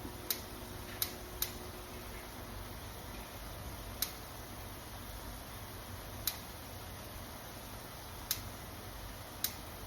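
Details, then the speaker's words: Kitchen gas stove igniter clicking sharply and irregularly, about seven in ten seconds; owner believes the flame sensor that detects fire needs replacing. "my stove is having issues right now you guys I'm sure you can hear it clicking I've got to get it fixed"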